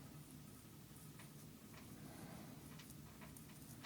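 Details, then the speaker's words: 4S Kraton RC car center diff bearing, repeatedly destroyed by dirt, hand-spun near mic after cleaning: gritty ticks and catches instead of smooth whir; sand still in bearing, not as smooth as before. "no I can feel sand still in this bearing so I'm going to put this near the mic maybe you guys can hear it I mean it's not horrible but it's definitely not it's not as smooth as it was"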